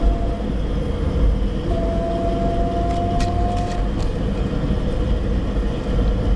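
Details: Suzuki APV automatic, 67,000 km when bought second-hand, gives a steady low hum under road noise when cruising above 50 kph, with a faint tone coming and going; owner suspects the automatic transmission, not confirmed.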